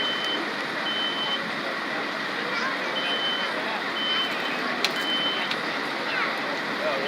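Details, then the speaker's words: Live room fire demonstration before sprinkler activation: shrill half-second beeps recur in an uneven pattern over a steady roaring crackle of fire; smoke alarm sounding. "I didn't need to see the smoke but I can hear that smoke alarm going off that gives you your timer"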